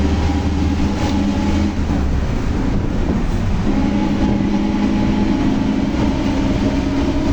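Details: Volkswagen Torino S 17-230 OD Euro V, driving: a loud droning hum under the road noise shifts pitch with road speed; loud howling rear differential.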